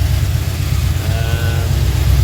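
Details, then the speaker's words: HT V8 with radiator, oil cooler and auto trans cooler fitted, original distributor still in: deep, steady low rumble with even beat and no knocks or misses; normal idle. "So it's all in, running. Still got our distributor in it."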